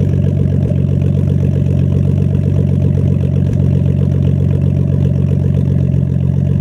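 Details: Nissan Skyline R32 RB20DET at low steady idle with an occasional stumble every few seconds; owner suspects a slight idle misfire and reports random stalling at idle and while driving.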